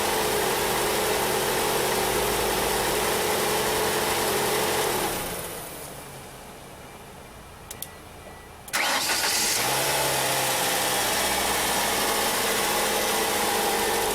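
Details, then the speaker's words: 1994 Ford Escort 1.9 after replacing a bad starter, wiring checked and battery terminal protected: steady idle drops, short crank catches cleanly, returns to an even smooth idle; normal start and idle, outdoors with wind. "okay guys that sounds good I think we got it"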